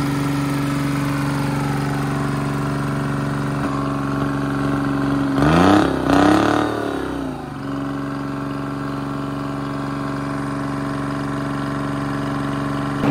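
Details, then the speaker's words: Detroit Diesel three-cylinder in an old dragline crane abandoned in the woods 20+ years, first start after draining water from the fuel filter: even, steady diesel idle with a brief rev and settle, hitting on all three cylinders; runs healthy. "to me it sounds good i don't know oh yeah it doesn't sound bad at all it's hitting on all three"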